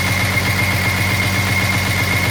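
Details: 1983 Jaguar XJS V12 knock at idle: smooth idle with a fast, regular tapping pulse and faint high whine; owner assumes a dropped valve seat, source not confirmed.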